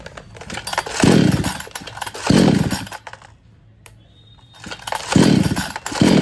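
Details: Kisan Kraft R Yantra 58 cc chainsaw, two-stroke oil mix, before spark plug work: surges up in short bursts then sags, stalling on throttle with no pickup or load; spark plug suspected.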